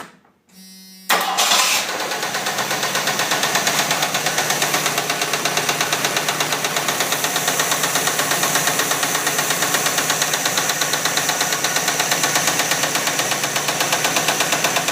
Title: Jeep 258 lifter tap? Engine knock?